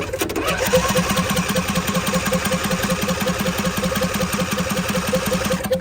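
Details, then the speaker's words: Used John Deere D130 riding mower, key start fails, so starter jumped directly: steady even cranking at about 2.5 beats per second with a hit of carb cleaner, engine turns over but never catches; cranks but will not start. "All right, let's see. Well, she cranks over, so that sounds pretty good."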